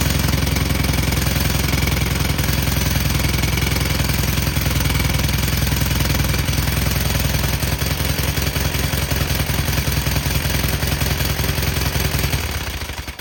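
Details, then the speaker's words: Cub Cadet with plain Kohler KT17 twin, starts without choke: steady running with sharp puffing chuff and tinny rattle at the exhaust; loose muffler end cap leaking and vibrating, before muffler replacement. "And I'm exactly right. Right there is the issue. Let's start that up and you'll see how much that's leaking."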